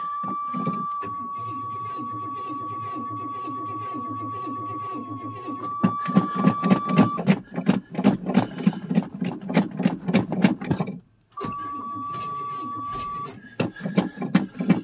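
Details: 1985 Chevrolet Suburban plow truck on a cold start in snow after sitting a month and a half, with gas about a year old and the weak battery swapped. Long runs of steady cranking at about three turns a second, never firing. Cranks, won't start; cause not confirmed.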